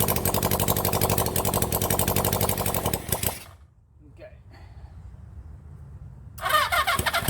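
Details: Rebuilt 1975 Honda CB400 Four engine, first test run: fires with a quick, fairly even beat, dies for a few seconds, then catches and runs again; a carburettor keeps flooding, so the float is to be freed.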